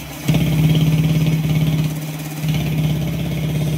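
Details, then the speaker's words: Honda Wave 125 after repair, idling quietly: a single-cylinder's steady low thrum with one small blip and no knock. The grinding noise it had before was cured by replacing the connecting rod and crankshaft. "So tahimik naman siya. Ito yung tahimik siya ulang sa menor."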